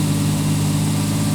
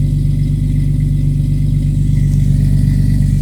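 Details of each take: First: 1989 Jeep Cherokee XJ Renix 4.0L on a cold start idling fast, around 2,000–2,500 rpm for up to a minute, fine when warm; cleaning the idle air control valve didn't help, so it is being replaced. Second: 1989 Jeep Cherokee XJ 4.0L (Renix) on a cold start at 11°: it revs briefly higher, then settles into a steady, low, even idle, no longer idling at 2,000-2,500 rpm, after the idle air control valve was replaced.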